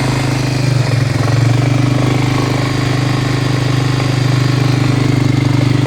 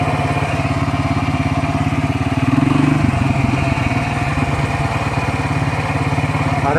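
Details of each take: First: Steady even engine hum with smooth drone and no rustling from an ATV's CVT variator after reassembly; the earlier rustling noise was traced to a failed bearing, now replaced, and the variator runs quietly. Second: Посторонний шум/шуршание из Вариатора.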